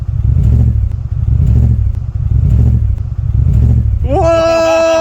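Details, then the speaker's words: Audi RS6 driving after its exhaust came off. It gives a loud, raw, unmuffled low burble swelling about once a second and now sounds like a Subaru. Detached exhaust. "So CL is going down on my car. Yes, we are going down his car. And going down under. It sounds different now. It sounds like a Subaru."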